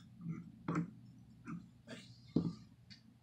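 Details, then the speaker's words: Water pump removed from a 2002 Kawasaki Concours 1000, turned and wiggled by hand; uneven dull clicks and ticks and play reveal a worn bearing, compared with a good replacement pump that doesn't move. "So here's your good one. You can take that, wiggle it, see it doesn't move. And then this one here, you can grab it. That is a bad bearing. You can even hear it."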